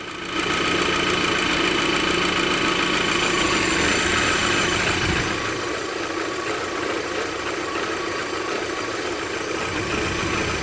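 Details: Audi TT petrol engine idling rough with uneven pulse and thin airy hiss from a vacuum leak at the dipstick tube O-ring; running lean.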